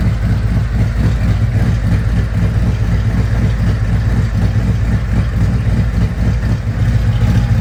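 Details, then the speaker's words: 2024 Harley-Davidson CVO Road Glide, Stage 2 with Cycle Rama CR565 cam and Thundermax tuner, warmed to 180 degrees, everything in spec: lumpy loping V-twin idle, steady deep pulse about four beats a second, even and settled; healthy idle. "Okay, the bike reached 180 degrees. Everything's in spec."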